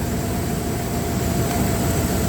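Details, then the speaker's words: Dodge Ram 1500 with a 3.6 six-cylinder at idle: uneven, stumbling beat. One cylinder is not firing, found by counting flashes; the rear plug is to be pulled next. "Yeah, there's our problem. Look how slow it is. It's not even firing."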